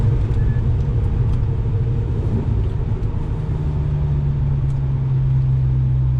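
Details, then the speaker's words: Audi S4 3.0 supercharged with test pipes, after fitting a Magnaflow resonated X-pipe; light-throttle fourth-gear low-rpm cruise in manual mode, formerly raspy droning; now smooth steady rumble with supercharger noise on top; normal exhaust. "Obviously wasn't hard throttle, but normally fourth, low RPM, that used to be absolute drone city. Now it's just supercharger city."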